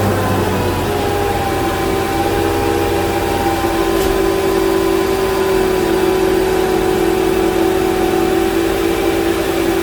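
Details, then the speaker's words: Mercedes G500 (G-Wagen) M113 V8 after chasing a suspected power steering or tensioner noise (vacuum tee), engine covers on: smooth steady idle with even hum and faint accessory tone, nothing knocking or ticking. "we'll go ahead and start her up and let you all have a listen to a nice quiet m113 all right fire in the hole"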